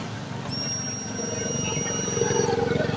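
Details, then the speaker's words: Honda Dream 110i, new fuel pump bench-tested at key-on before fitting (the old pump was dead, causing a no-start): thin high-pitched whir rising and running steadily for about two seconds, then stopping; normal fuel pump priming. "ปั๊มติ๊กทำงานอยู่นะครับปั๊มติ๊กทำงานปกตินะครับ"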